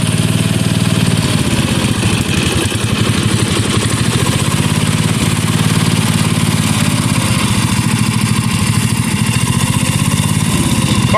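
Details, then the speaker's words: 1977 Bolens G10 single-cylinder idling unevenly with a slight hunt. The carburetor is badly out of tune and should be rebuilt; it could also use bushings and a throttle shaft. "still needs some tuning. It really should just be rebuilt."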